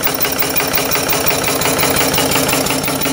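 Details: Live steam engine with 6-inch crank disk and 8-inch flywheel on a 16x38-inch wood/coal fire-tube boiler holding about 90 psi, warm after running a while: steady, even chuffing about three beats a second, no knocks or misses; normal running.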